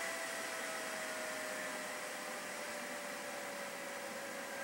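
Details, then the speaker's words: PC "Tuxedo" with NZXT Sentry Mesh fan controller running FurMark load, processor heading toward 70°C: loud steady hair-dryer rush with thin easing tone as the CPU fan spins flat out under load. "now the processor starts taking off before we start setting off alarms or blowing the CPU fan let's turn these back on"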